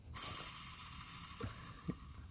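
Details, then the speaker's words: Ford Mustang (79-04) cable-clutch throw-out bearing, removed and spun by hand: dry, gritty rasp from a worn, rough release bearing, likely side-loaded by a grooved, flattened pivot ball; far louder when spinning around 1000 rpm in the car. "you know making that noise right now of course it's gonna be way louder when it's spinning a thousand revolutions per minute"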